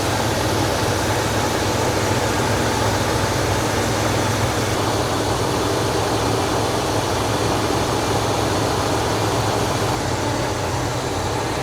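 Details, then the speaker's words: 1971 Buick LeSabre Custom 455 V8 warming up after the carburetor was swapped, idle screws not yet adjusted: steady, even idle with a smooth low rumble and no misses or knocks, running better. "TR to let this thing warm up a little bit it appears to be running better I haven't done anything with the uh idle screws yet"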